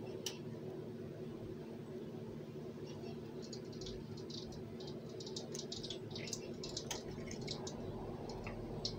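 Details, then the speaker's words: Mineral oil heating bath of an orange-peel distillation setup, heating element pulsed a few seconds at a time: sharp crackles and pops over a low hum as absorbed water boils out, stopping above water's boiling point. "I'm not sure if you can hear the crackling sounds, but for some reason the mineral oil seems to absorb water from the air, and the first thing I have to do is boil that water out."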